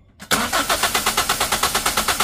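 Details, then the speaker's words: Toyota Altis brought in for engine shaking, all four fuel injectors replaced with used junkyard units, tested off the engine: crisp hissing squirts pulse evenly, about seven a second, equal strength; fine even spray, unlike the old injectors' solid streams. "นะครับมันก็จะฉีดออกมาเป็นฝอยนะครับอ่าฉีดอย่างสม่ำเสมอฉีดออกมาเป็นฝอยเลยนะครับ"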